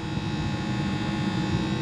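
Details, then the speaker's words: Walk-in freezer compressor, warm to touch: constant low electrical hum with faint tone and no pumping rhythm; suspected compressor mechanically twisted off, humming without pumping, unconfirmed. "That sure sounds like the compressor's twisted off and just running."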